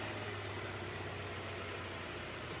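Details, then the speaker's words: Honda CR-V after a flood and an engine swap, new snorkel inlet covered to test the seal: a steady low idle keeps running evenly with a dull hushed intake note, drawing very little air yet not stalling. "I mean, it's running off of very little air right now. Yeah. I wonder where it's even getting in from."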